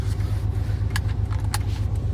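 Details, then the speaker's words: 1999 Ford Ranger XLT 4.0 4x4 with glass packs and no muffler, misfiring with no codes: loud, lumpy idle with dips; rpm drops near zero and oil pressure falls before it recovers. Owner suspects a cracked ignition coil. "i'll be at an idol and it'll try and die and i'll lose oil pressure and everything my oil gauge will balance and rpms will go almost to zero but then the computer brings it back"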